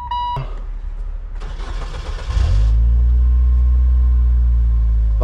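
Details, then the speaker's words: 2002 Saturn L200, crank no start with no module communication, after cleaning corrosion from a network splice/trace: starter cranks about a second, catches, settles to steady even idle; normal start and idle after repair. "it's enough to start the car and run it so cleaning off the corrosion on that the car's running"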